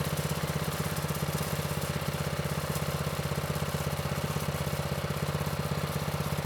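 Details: Manco Streaker vintage mini bike with Predator 212 (6.5 hp), drive disconnected, idle raised: even regular single-cylinder beat at steady fast idle, no stumbles or misses; normal running.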